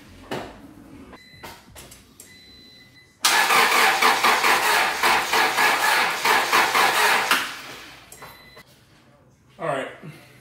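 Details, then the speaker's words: Honda/Acura that would not start, battery fully charged, before repair: the starter churns evenly at about two beats a second for four seconds and never catches. Crank, no start, traced to a failed distributor internal ignition coil. "I'm gonna try to attempt to start right now see what happens but I think it's just gonna crank and nothing else"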